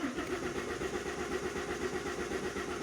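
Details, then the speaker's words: Common-rail diesel cranks steadily at about two compression beats a second but never fires. Rail pressure stays far below the 300 bar target while the low-pressure pump holds 4 bar. The high-pressure side is suspected: pump, regulator or sensor. "but when you want to start a car it does not reach the desired 300 parts not even close so we have a problem with the high pressure fuel pump"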